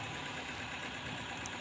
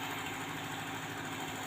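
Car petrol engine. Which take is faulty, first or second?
first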